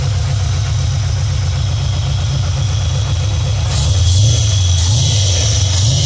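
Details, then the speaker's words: Cammed Vortec V8 OBS truck after installing and tuning new Summit Racing Max Performance carburetor: lumpy idle then crisp blips rising and falling cleanly, sounds like a wilder cam, a big improvement; normal revving. "rip this is what it sounds like now that we kind of tuned on the carburetor a little bit definitely sounds like it has a bit of a more wilder cam"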